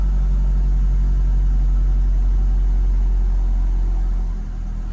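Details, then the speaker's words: 2008 Ford Focus SE 2.0L after a no-start, restarted once the battery (found at 75%) was charged; ECU shows 14+ volts. Starts right up with no clicking; smooth, steady idle with no misses, knocks or surging. Battery still suspected. "so let's turn it off and let's start it up again let's see if it clicks nope start it right up huh"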